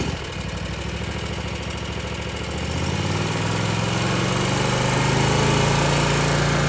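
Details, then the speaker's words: Zero-turn mower test drive right after replacing the hydro belt: engine starts, settles into steady even idle, then smoothly picks up speed with no knocks or belt slapping; runs healthy. "okay let's go for a little test drive make sure it's good here we go start her up"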